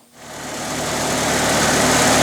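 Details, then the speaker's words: International 354 tractor that sputtered after 30-40 minutes of bush hogging, after a carb clean that didn't help, a wire fix, and points cleaned and reset to 14 thou: it starts and runs steadily for 3-4 minutes without sputtering; ignition was the cause. "once it started, it's been running for 3 or 4 minutes now, and it hasn't sputtered or done anything weird."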